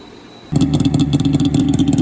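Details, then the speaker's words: 1998 SRX 600 two-stroke snowmobile running again after all three gummed-up carbs with stuck floats were cleaned: fires instantly and holds a crisp, even burble with clean throttle blips, running healthy. "And just like that, she's back together and she runs. So dirty carbs, I guess."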